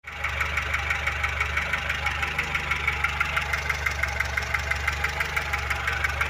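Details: VAZ 2106 engine: sharp metallic ticking about three times a second over a steady idle from under the valve cover, louder when cold; timing gears and chain found slightly worn, knock traced to a worn rocker arm.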